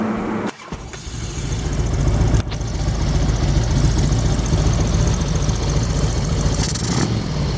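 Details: 1999 Harley-Davidson Road King V-twin at warm idle on Chinese clone CV carburetor, main jet changed, mixture and idle screws about half a turn; deep even loping beat, shop fan hissing, rattles from the lift, not the engine.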